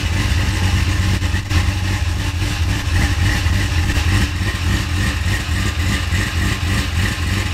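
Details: 1970 Cutlass with 6.0 LS swap, 4L80E, sloppy stage 2 cam, mass airflow added: lumpy choppy idle with faint quick ticking; sounds like the motor is tapping, cause not confirmed.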